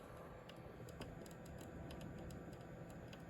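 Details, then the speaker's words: AIO liquid cooler pump on an old AMD FX-8320 system: irregular light ticking and crinkling over quiet hum, stops when pump is unplugged; pump likely dying. "Okay, yeah, that's definitely the pump. Oh. Guess this pump might be dying or something."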